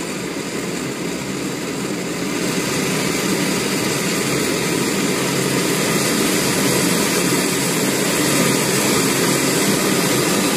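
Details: BRS-8 multi-fuel pressurized camping stove burner at full output: steady, loud hissing roar, normal for this type.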